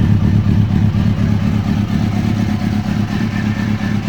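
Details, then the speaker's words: Kawasaki Ninja ZX-636 rebuild after repairing a faulty fuel pump harness connector: bike starts and runs, crisp even exhaust pulses picking up cleanly on throttle blips, healthy running; FI warning light on. "success the bike is up and running uh I guess that's a FI light fuel injection not really sure what that is but our bike is running listen to that Yosh"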